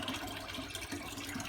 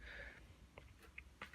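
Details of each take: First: Beko WM85135LW washer after a cycle was cancelled by holding the button three seconds: steady water rush and gurgle with faint pump hum as it drains out; normal drain pump operation. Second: Beko WM85135LW washing machine in a quiet room: scattered sharp relay clicks and a soft clunk with no motor or drum turning. Relays switch but nothing moves, as if trying to agitate without feedback; it sat idle for half an hour.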